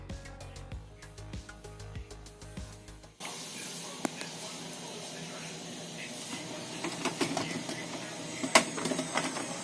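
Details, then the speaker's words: HP Pro M132 scanner after repair, with the carriage motor replaced from a donor unit: the carriage runs with a steady, even whir, the crackling gone, and it works properly. "странный звук шум прошел сканирующий линейка ходит отрабатывает исправно"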